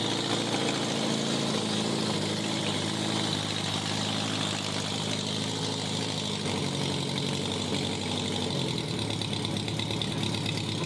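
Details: 1987 Honda Gold Wing GL1200 parts bike, electrical problems, almost out of gas, running after battery charged: steady, even idle with raspy open-pipe bark, no misses or stumbles; normal idle, needs strong battery.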